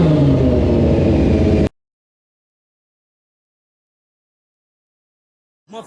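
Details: Bike's small single started after throttle cables tightened, idle adjuster screw set, airbox refitted and fresh oil: revs up cleanly for a second or two and drops off crisply, no knock or rattle; normal running.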